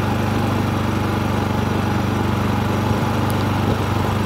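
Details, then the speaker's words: Harbor Freight Predator 3500 generator powering a 15,000 BTU RV air conditioner at about 123 V and 850-860 W after 5 minutes: steady, even, quiet low drone, no surging, knocks or misses. "Pretty darn quiet, I can tell you that."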